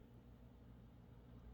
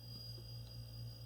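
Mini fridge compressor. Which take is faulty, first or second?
first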